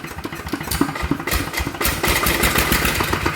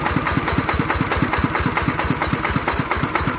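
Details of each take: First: ET 110 single-cylinder diesel running with a sharp, regular metallic knock and white smoke; piston pin knock with scored cylinder liner. First suspicions were a broken con-rod bearing or a melted crank bearing. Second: Single-cylinder ET 110 diesel after repair of a knocking noise, thumping along at a steady idle with even firing pulses and no knock; running normally.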